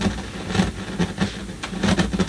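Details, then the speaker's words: 1970s Sanyo DC-620XK radiogram amplifier under repair: irregular crackling and popping bursts over a low hum on one channel, worsening as it runs. "oh yeah looks like we might have something small on that channel becoming worse I guess as we're here"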